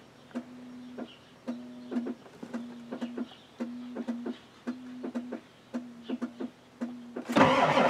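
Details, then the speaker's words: Ford F-250 XLT 7.3L IDI diesel: slow, uneven cranking with starter hum between compression beats, never firing. The glow plugs aren't working; a new glow plug wire harness is believed needed. "Come on, baby. Glow plugs aren't working."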